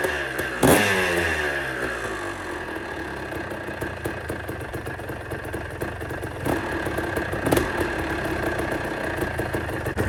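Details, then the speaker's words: About 40-year-old Kawasaki KDX200A two-stroke enduro, first start after an engine rebuild with the crankshaft bearing fixed and some pattern parts: smooth ring-ding idle between clean throttle blips, no bottom-end knock or rumble. Healthy. "I'm really pleased how the engine sounds. It's so much smoother as well with that crankshaft bearing sorted out."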